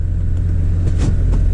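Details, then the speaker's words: 2003 Chevy Trailblazer LTZ 4x4 4.2 I6, cold after new valve cover and intake gaskets, plugs and coils for a P0305 misfire: steady, even low rumble, idling a little high, no stumble or shake. Normal idle. "so right now it's still idling a little high there's no shaking at all anybody has a trailblazer knows that they shake a little bit there's nothing but the idle's still a little high"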